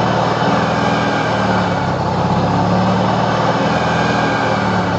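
Steady engine running with a faint high-pitched whistle riding over a busy, buzzy rotary drone; turbo whine, cause not identified.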